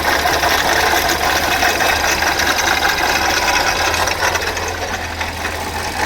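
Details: VW Polo: steady idle with a light, fairly regular tapping over the hum; abnormal engine noise, cause not yet pinned down.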